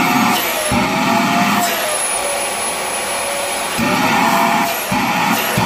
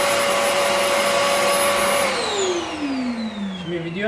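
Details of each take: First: Rowenta Compact Power Cyclonic vacuum cleaner: steady high whistle over the motor roar, wavering as airflow shifts, then stops; judged not motor-related but an airflow problem. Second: Rowenta Compact Power Cyclonic vacuum cleaner that previously whistled, motor checked (suspected loose motor): steady motor whine with no whistling, pitch falling smoothly as switched off; normal running.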